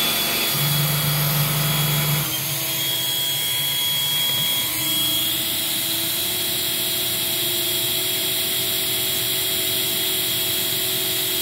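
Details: Eureka 402 Superlite 2-amp vacuum during an airflow test: a steady high suction motor whine that steps up in pitch, possibly as the brushroll carpet motor activates, with no rattle; normal running.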